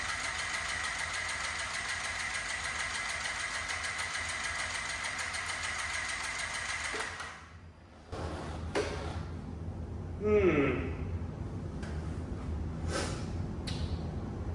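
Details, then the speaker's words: Yamaha C3 moped after fuel pump replacement (plus new plug, battery, oil, flushed tank, poorly cleaned injector): pump now runs, injector plugged in, starter spins fast and even about seven seconds without firing; cranks but no start, spark unverified. "Injector's plugged in. It is cranking."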